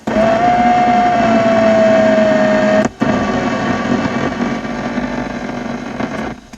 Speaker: But you put the window up and down on the driver's side. Yes, that does really make that noise. That comes through the radio loud and clear.